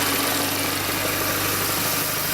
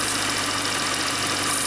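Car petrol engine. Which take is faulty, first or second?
second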